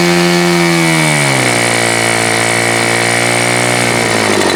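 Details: Super Tigre G4500 glow engine, hand started, first run on a stand: loud steady high buzz drops in pitch then settles into a smooth, even note; clean transition, running well.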